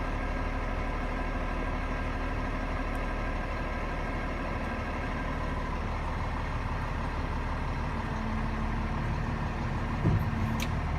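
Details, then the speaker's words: London front plow harness tilted back to working position with Bosch CS105 controls: truck idles under a low hydraulic hum, then one sharp clunk as the harness locks out, time to release the engagement button. "you hear it lock out, it's time to let go of the button."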